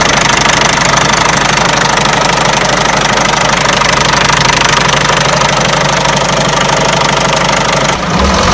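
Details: Peugeot 307 1.6 90 hp engine: a sharp, steady knock of about three per second sits loudly over the idle and keeps time with the engine. The owner asks where it comes from; source undetermined.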